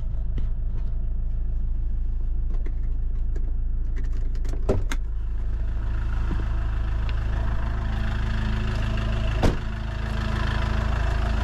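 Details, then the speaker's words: Iveco Daily diesel after an engine oil, oil filter and diesel filter change, fuel system primed before starting: starts first time with no error codes and holds a steady, even idle with no knocks or misses. Normal idle. "Motorul a pornit din prima, fara coduri de eroare, e ok... se aude bine, se tureaza..."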